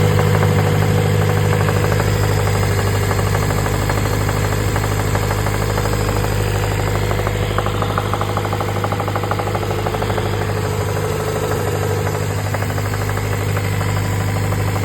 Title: B20b x B16 Vtec head Weird Engine Noise.. Knocking?